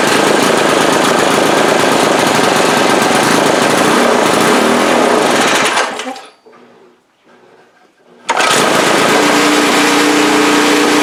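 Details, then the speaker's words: 2002 Briggs & Stratton 3.5 HP push-mower engine from the trash, with no blade or heavy flywheel: loud rattling with uneven spits and stumbles that briefly dies off then picks up; sputtering, carburetor diaphragm or rebuild suspected. "did see a little puff of black smoke it could just be the diaphragm in the I could just be the carburetor need and rebuild letting too much fuel through but these engines do not run very good without a either a heavy flywheel or a blade on it"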